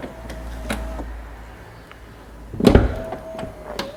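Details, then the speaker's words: BMW 760Li V12, door soft-close latch that sometimes works and sometimes acts up; short motor whir, thunk, then another whir as the door pulls shut, noisy and uneven; owner plans to dismantle, try repair kits or replace it. "là, c'est le soft close. Alors par moment, elle marche, par moment elle se met à déconner, voilà."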